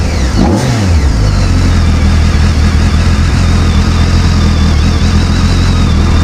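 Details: Abandoned 2007 BMW K1200GT, fuel-injected inline four with 68,565 miles, running despite a weak battery: steady low idle with even exhaust pulses and no misfire in neutral, but it dies once put in gear; cause unconfirmed.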